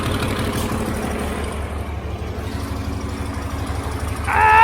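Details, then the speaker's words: Cummins diesel in a Land Rover Defender, first start after fitting, run briefly without coolant while leaking oil and transmission fluid: steady, even idle with a smooth low beat and no knocks or misses; runs nicely. "so at least we know it runs nicely now I'm pretty chuffed with that"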